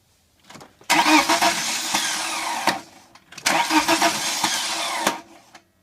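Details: 1998 BMW 318ti M44 petrol engine: two cranking bursts of nearly two seconds each, starter churning steadily, engine never catches; recurring hard-start problem, cause unknown.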